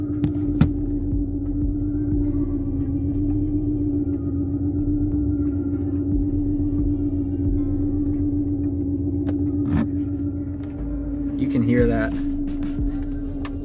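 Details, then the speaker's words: 2006 Mercedes-Benz E350 M272 3.5L V6 just started, check engine light flashing: idle hum with uneven lumpy pulse and faint irregular stumble; cylinder 5 misfire, codes P0300, P0305, P2188 too rich at idle. "my check engine light starting to flash you can hear the vibration or you can see it definitely"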